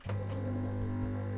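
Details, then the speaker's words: Compressor with cover on, at maximum speed, after hose cushioning fitted: steady low hum, no rattle, unit does not walk; normal running. "И никто никуда не убегает. И ничего не дребезжит. Никуда. Это, кстати, максимальные обороты."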